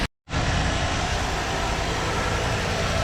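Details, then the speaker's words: Ford 302 V8 after freshen-up with new plugs, wires, cap and rotor, intake manifold repaired, tuned to about 15 to 16 inHg vacuum, warming up on tap water coolant: steady, even idle with deep smooth rumble, no misses or ticks. "out there good bit of tuning I've got it around 15 to 16. vacuuming whatever thank you for lacking it's running pretty smooth"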